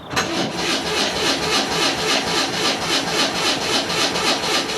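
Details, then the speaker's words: Vehicle in neutral on a damp cold morning of about 3°C: slow, labored cranking at about four turns a second that never catches. The battery is too flat to start it and will be put on charge. "je la mets en charge je la mets en charge et je réessaierai plus tard on va pas y arriver les gars"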